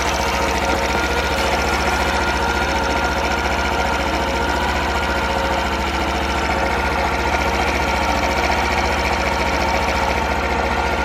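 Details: Honda Super Cub 50 FI AA04 parts bike, recall work done, start-up check; little single ticks over at a steady, even beat with a light mechanical patter and no knocks; normal idle, no abnormal engine noise.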